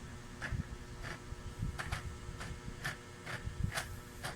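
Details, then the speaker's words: Mitsubishi Adventure speedometer before repair, cable turned by hand: noisy gauge, worse at higher speed, odometer stuck. Dry, scratchy ticking bursts about twice a second over a low hum; gauge mechanism grinding. "Lalo yan maingay pagka matulin ng takbo."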